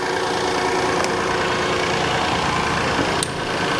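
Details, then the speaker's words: 2017 Kia Sedona with a replacement 3.3L V6 engine, first start on the lift after fluid fill: a steady idle with no whine from the power steering pump. "And I don't hear the power steering pump whining at all."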